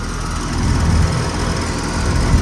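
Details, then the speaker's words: 2007 Payne Entry Series air conditioner (dark ICP version, R-410A) at an office complex: the scroll compressor runs with a steady low hum and an even, smooth drone, no knocks or rattles. Normal running. "It's got a nice scroll sound."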